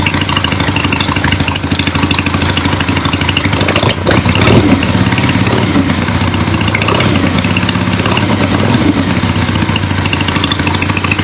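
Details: Finished 1975 Harley-Davidson XLH Ironhead Sportster after rebuild, basically stock, real road test ride with gas tank fitted, camera clipped to rider: strong, even V-twin beat picking up cleanly through the revs, no misses, knocks or rattles; runs great.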